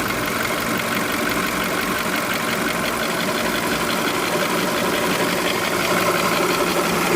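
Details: Light fast clicking about three per second over a busy idle hum on a 2005 VW Polo 1.4 with 84,810 miles, recorded cold and hot; cause unknown.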